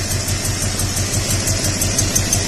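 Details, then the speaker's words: 2002 Toyota Tundra at idle with flashing MIL: uneven stumbling pulse with faint tick, severe single-cylinder misfire; possible exhaust leak also heard, unsure if related; needs a coil and tune-up parts. "the MAL is currently flashing which would indicate a misfire severe enough to damage the catalyst is occurring"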